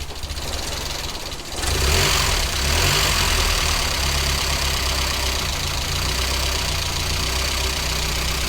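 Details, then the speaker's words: Vauxhall Nova with new three-inch stainless exhaust, garage door shut: deep, slow, slightly uneven idle under a quiet exhaust rumble; idle too low though idle screw almost all the way out; mixture very rich, 10.0 reading. "definitely needs more on the idle but the screws almost all the way out the screw is almost all the way out"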